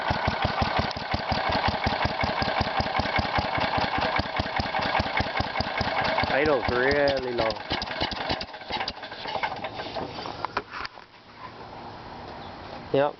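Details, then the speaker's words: Kohler Magnum 16 hp engine (K361 block) on a Bolens 1256, air cleaner off: slow loping single-cylinder beat with sharp puffing chuffs. Idle set very low, and the muffler has exhaust leaks. "got a muffler on it, but there's some leaks."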